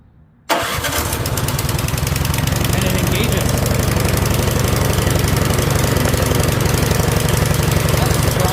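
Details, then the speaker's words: Curb-found Yard Machines 21-inch 179cc OHV snowblower, rusty with worn paddles, possibly old fuel, electric starter engaged on choke: silent, then the single fires at once and settles into a steady, even chugging run with no misses; normal electric start. "And what we'll do is we'll engage the starter and see if it works."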